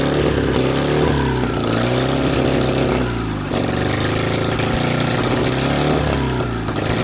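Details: BMW R69S boxer twin with Kayser Power Kit, first start after engine restoration; revs and drops back with a lumpy hunting beat that never settles, carburetors of uncertain origin unsorted and still needing attention and balancing.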